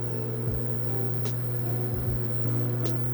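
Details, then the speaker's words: iSiler 1800 W induction cooktop powered from a Bluetti battery pack, water near boiling at about 200°F: a steady low hum with buzzing that grows louder as the water heats. This is normal noise at full power. "So we can hear the device, the induction cooktop, buzzing a lot more. And it's also because the water's boiling at a higher degree temperature."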